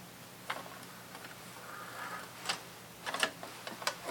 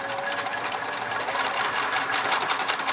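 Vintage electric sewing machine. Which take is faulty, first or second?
first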